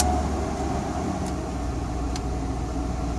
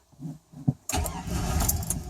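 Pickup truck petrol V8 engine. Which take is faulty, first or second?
second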